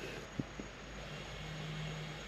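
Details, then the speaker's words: 2015 Audi A3 after rear brake replacement, scan tool closing the calipers: light clicks, then a brief steady hum as the electric parking brake motors wind the rear calipers closed; the test passed. "And now it's bringing in the calipers, or at least the motor. Very good. It passed."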